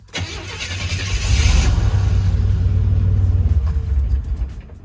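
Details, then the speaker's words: 1984-87 Buick turbo car during a TPS and IAC reset, started with the idle air control valve unplugged; cranks and catches, then idles low and uneven with surging, struggling to hold idle, as expected. "And now we can start the car. Now it's going to idle rough because that IAC isn't plugged in. It's totally to be expected."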